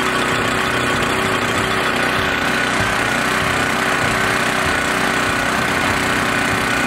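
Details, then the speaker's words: Small engine started after a long fuel test on 14–15-month-old pump gas with no additive, tank about half full, after quite a few pulls: even, busy, buzzy run with no misses or knocks. Normal running. "so 14 15 month old pump fuel no additive at all and it started took quite a few pulls but it did start wow that was a shocker"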